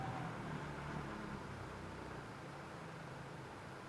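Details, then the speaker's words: 2014 Yamaha 70hp outboard, 20-inch shaft, remote control, idling in neutral after shifting; earlier rattle was foam in the fuel tank, not the engine: faint steady low hum, no knocks, normal quiet idle. "Oh, that thing's quiet."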